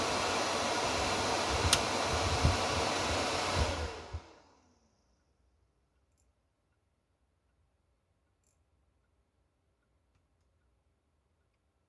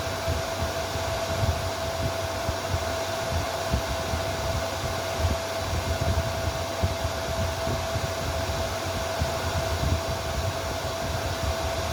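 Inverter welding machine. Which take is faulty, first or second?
second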